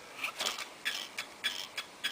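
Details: 12-speed bicycle wheel spinning: a light, hissing scrape about every 0.6 seconds as the out-of-true rim catches the brake pad; the fix is to loosen and retighten spokes to true the wheel.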